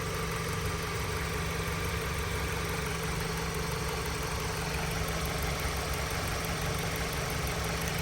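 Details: 2013 Dodge Avenger 2.4L after crankshaft position sensor and thermostat housing replacement and radiator flush, fans off, warming toward 210°F: smooth, constant idle with a steady low drone and no knocks, misses or surges; normal idle.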